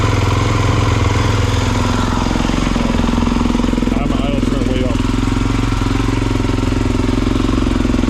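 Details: 2022 Kawasaki KX450 with about 9.9 hours, which would start cold but not hot, after an All Balls fuel pump rebuild: it holds a steady, even single-cylinder fast idle with no misses or stumbles.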